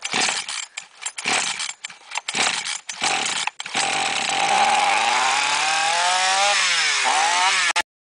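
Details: Chainsaw that would not start, flooded with fuel leaking from the muffler, after draining fuel via the spark plug hole and refitting the plug: a few choppy pulls, then it catches, revs and settles to an even, steady run; normal running.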